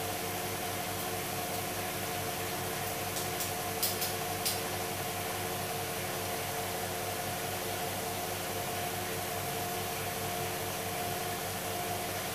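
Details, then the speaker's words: Hoover Dynamic DXCC69IB3 9 kg washer, final spin at full speed: low, even hum with steady motor tone, no knocking, rumble or scraping; the drum spins quietly and smoothly, far quieter than the previous machine. "the drum itself is making barely any noise at all as you can see starting to spin at full speed now comparing this to the machine I did have it's very very quiet"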